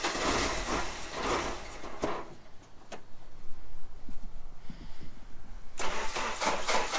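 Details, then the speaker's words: 1989 Jeep Wrangler YJ after replacing a bad fuel injector: cranks, catches, runs rough on throttle, sags and nearly dies; won't idle unassisted and shuts off without gas held. "so as of right now the injector does work but it doesn't idle on its own so if you're not holding the gas it'll just completely shut off"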